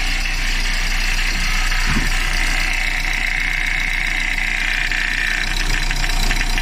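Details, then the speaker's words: Renault Laguna 3 engine idling: steady rough knock and crunch about three a second from the AC compressor, worse under electrical load; persisted with magnetic clutch removed, caused by a missing, unscrewed compressor mounting bolt. "звук доносится от кондиционера"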